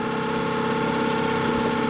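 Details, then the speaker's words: Outboard motor on a Hood 23 sailboat, after outboard repairs and a switch from regular to premium petrol, idling alongside at the wharf: steady, even idle with a smooth low hum and constant tone, no misses or hunting; runs cleanly, normal idle. "How was that? It sounds pretty good."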